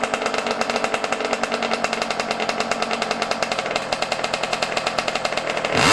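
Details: Yamaha YZ125 two-stroke, cold at about 20 degrees outside, not yet warmed up, during carburetor air screw and idle adjustment: crackly idle with uneven popping pulses, then a quick throttle blip; runs off-tune, wants carb adjustment.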